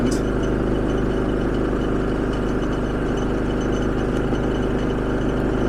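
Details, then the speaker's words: Generator charging a Hyundai IONIQ 5, eco mode unusable under the load, holding high RPM with a steady fast drone, no hunting or misses; neutral and ground bonded; normal high-RPM run under load. "it's pulling enough load that it's rendering the Eco settings not usable so it does need to pull that much RPMs to be able to charge this car"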